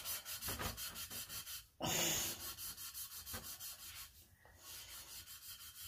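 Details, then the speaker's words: Lapping valves into a freshly machined 5.3 LS cylinder head with lapping compound, scrubbing until the sound turns soft: a quick back-and-forth rhythm with soft hissy grit and no harsh bite, meaning the valve is seated after lapping. "now we're going to do the same thing grind till it sounds uh sound soft"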